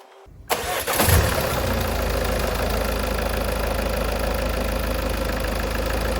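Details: 2016 Ford Focus ST 2.0 diesel, first start after a service with new oil and filter, air filter and fuel filter changed, 0w30 oil; brief crank, catches cleanly into a steady even diesel idle, no knocks, no leaks; normal start and idle.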